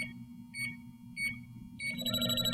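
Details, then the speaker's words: JB Industries LD5000 Prowler refrigerant leak detector, warmed up, tip held toward the test vial's small sticker hole: short chirps quicken into rapid high beeping, about 3 to 4 bars reading, so the unit is working properly. "and you should get about 3 to 4 bars reading. This unit is working properly."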